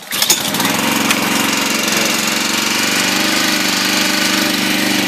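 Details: Used log splitter engine after tank cleaning, welding a leak and repairing the shutoff linkage: fires on the first pull and settles into a smooth, even buzz with no misses or knocks; runs healthy.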